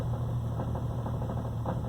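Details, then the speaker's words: 1992 Jeep Cherokee XJ 4.0 straight six with a crank-no-start: with the throttle floored it sputtered repeatedly, then popped to life; now a low, faintly uneven drone, not crisp. A wrong fuse was found in the ignition slot, and a deeper problem is suspected. "To get it started, just to see what would happen, I held the throttle to the floor, cranked, and it sputtered and sputtered and sputtered and sputtered, and then it popped to life, and it revved up and started behaving somewhat normally"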